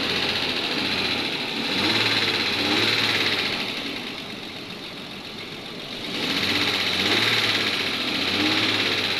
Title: the engine is making noise Nissan patrol y61 safari